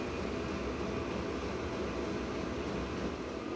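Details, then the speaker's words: Small Vevor diesel heater after about 30–40 minutes running in a cold workshop, room around 12°: steady, even blower rush with no surging or sputter; running normally. "well so far this little thing is doing pretty good"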